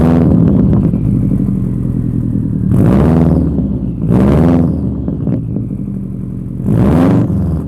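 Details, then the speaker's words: 2002 Subaru WRX with a newly installed aftermarket exhaust, untuned: deep, loud burbling idle with a slight gurgle, swelling on each throttle blip. Healthy engine, but the exhaust is too loud. "i really do love the sound of this thing and it even has a little bit of a natural like gurgle to it"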